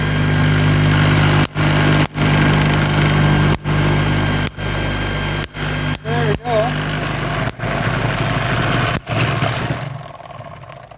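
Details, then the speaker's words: MiniSpark 18 high-voltage generator with a 1.233 nF capacitor bank and 1 cm spark gap: a steady low motor drone with a rough rubbing rasp and sharp spark snaps. The setup isn't rigid, so it shakes and the internals rub. "uh that noise there is because this setup here isn't very rigid so it shakes and then internals rub"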